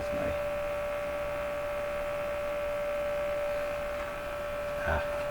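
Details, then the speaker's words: Stromberg Carlson Model 515 radio under test: a steady, even one-pitch hum through the speaker, very pronounced when the speaker is lifted; cause not yet found. "connected and I lift the speaker up I can hear a hum very interesting it's really pronounced when I get the speaker"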